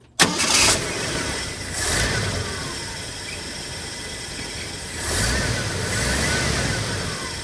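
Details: 1974 Ford F-250 Ranger SuperCab straight six with new starter, fuel pump, fuel filter, distributor, points, plugs, battery and solenoid, and an electric choke; still needs a clutch: sharp catch, a few surges, then a steady even idle; normal cold start and idle.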